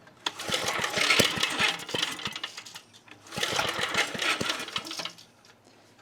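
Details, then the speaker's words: 1980s Onan generator being revived on choke with fuel and presumed spark: fast ragged firing catches in short bursts, flares a second or two, then fades out; won't sustain a run, owner suspects spark plug gap, cause unconfirmed. "So after the very kind of sort of successful attempt of getting it running, I decided to do a bit of research"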